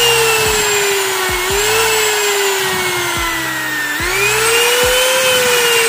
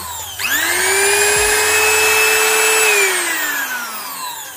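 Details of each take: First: Wood trimmer/router before repair, running: motor whine keeps sagging in pitch then jumping back every second or two, stuttering and cutting out intermittently; traced to a faulty on/off switch. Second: Trimmer/router (profile machine) that had been cutting out suddenly, after checking wiring, on/off switch and fitting carbon brushes: motor whirs up to a clean steady high whine, holds evenly, winds down smoothly on switch-off; running normally after repair.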